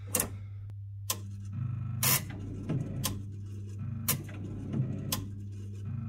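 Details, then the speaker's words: Chaffoteaux & Maury Nexia boiler after a control board repair for a blown fuse: a relay clicks about once a second over a low hum, with intermittent contacts when the board is moved. "Elle fait quand même ce cliquetis, c'est bizarre là. Il y a des faux contacts quand je bouge la carte."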